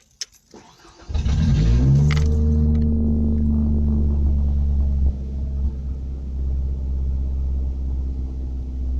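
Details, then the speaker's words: 1991 Ford Ranger with added kill switch: engine cranks and catches, revs up high, then fluctuating rumble; revs have surged oddly lately, owner suspects transmission slipping. "Okay, now I don't know why it's doing this, either. Is that what it's slipping gears, the transmission? It's been doing that here lately."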